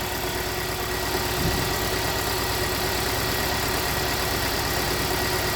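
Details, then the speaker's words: 2017 Hyundai Santa Fe Sport 2.4 at idle with P0301: uneven idle with irregular stumble every few beats over steady hum; cylinder 1 misfire, oil-fouled number one plug, simple coil suspected. "cylinder one misfire detected so we might just have a simple coil uh so we got a P0301"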